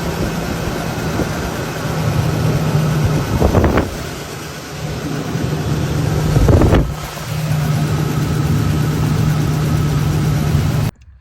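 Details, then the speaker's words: Ford Ranger six-cylinder: rough lumpy idle with bad misfire; spark present at all six but two cylinders get no fuel from dead injectors. "got a couple bad fuel injectors we going to work on it's got a really bad mess"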